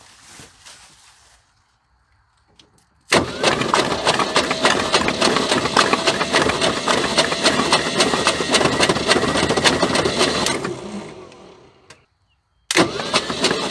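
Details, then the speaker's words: 1976 Ford F150 abandoned 30+ years, cranked by jumping battery hot to starter: slow, lumpy cranking about three beats a second, bouncing on hard spots without firing; owner unsure if starter or a rod or main bearing. "well that don't sound real good um the motor sort of bouncing up and down sometimes I don't know if it's a starter or uh I don't know maybe a rod Baron or a main I ain't got a clue it's definitely got some hard spots"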